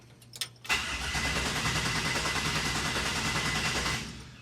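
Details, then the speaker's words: 1967 Chevy C10 with LS1 swap, first try with newly wired ECU: starter spins evenly about 200 beats a minute for three seconds, never catches; crank no start because plug wires weren't connected to the coil packs. "Well, it usually helps if you hook the uh spark plugs up to the coil packs."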